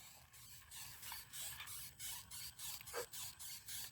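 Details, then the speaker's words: TRX4 Blazer RC truck while driving: sharp dry squeaks about three per second in step with wheel rotation from something unlubricated; the part needing oil is unknown. "I could use my winch I didn't need it I don't know which part needs to squeak or oiled"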